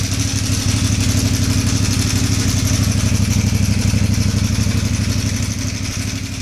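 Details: CFMoto 450 MT at idle after freeing a stuck cam chain tensioner and removing its snap ring, firm regular exhaust beat with no top-end rattle, far quieter than before repair; normal idle.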